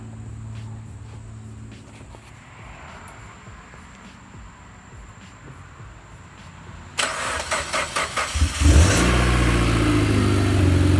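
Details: Mitsubishi Lancer Evo X after ACT clutch replacement, suspension and axles reinstalled, belt refitted and Cosworth air filter fitted: starter cranks briefly, engine catches and settles into a smooth, even idle; starts and runs normally.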